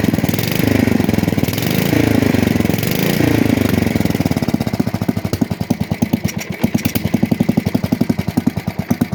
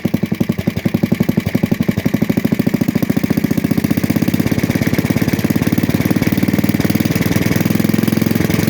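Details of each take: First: 1966 Custom 6 engine after reassembly with a new starter-generator bearing, pull-started off the pulley side. The single cylinder pops evenly after a rough start and settles into a steady, regular beat. It smokes from water in the bore and cleaning oil on the block. Normal running. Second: 1966 Custom 6 engine reassembled, starter-generator with new bearing, first run: steady, fast, even thumping idle with a light tap on each beat and slight smoking; top-end tap, cause unknown.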